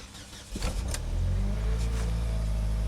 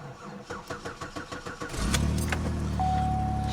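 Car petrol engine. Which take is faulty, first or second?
second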